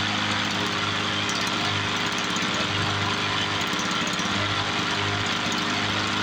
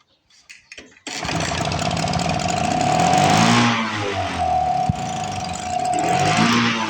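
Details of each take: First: 1986 Toro 21-inch commercial mower with Suzuki two-stroke engine, apparently unrun for years, revived: steady, even two-stroke buzz holding speed without surging or missing; air filter needs replacing, carb to be blown out; normal running. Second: 1986 Toro 21-inch commercial mower with Suzuki two-stroke engine, apparently unrun for years, choke not set: pull-start coughs, kickback, then uneven surging buzz running only on primer; owner suspects the carburetor needs repair.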